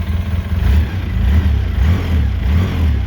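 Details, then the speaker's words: Rebuilt 2013 Polaris RZR 800S 2.0 engine, not fully warmed up, revved with oil pressure rising to about 30 psi: deep, even engine note rising and falling smoothly with the throttle, no knocks or rattles; healthy. "but yeah when I rev it it gets up 30 when I let off it's at 177 right now so it ain't super warmed up"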